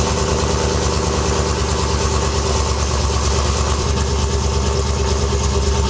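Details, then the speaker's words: Truck with 5.3 L83 V8 fitted with an L86 6.2 intake, recorded at the muffler: steady, even low exhaust rumble with a smooth, regular beat and no misses or ticks; normal idle. "Sounds pretty good."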